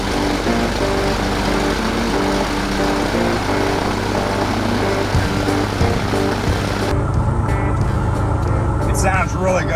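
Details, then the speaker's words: Trinidad TB20 airplane piston engine, grounded 15 years, on first run after fixing fuel leaks: an even, steady propeller drone at about 1,000 rpm right after start with no misses or stumbles. Smooth, healthy normal idle. "Nice and smooth. It sounds good. Audio smooth right at 1,000 RPM right away."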